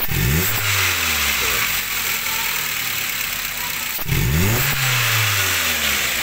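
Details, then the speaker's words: Toyota Avanza: revs climb sluggishly and sag back when the throttle is pressed, engine held back with very low rpm, from a weak fuel pump whose priming sound is very quiet. "ini kalau kita tekan minyak suara Injil itu seolah-olah tertahan dia tidak mau pergi RPM pun dia sangat rendah"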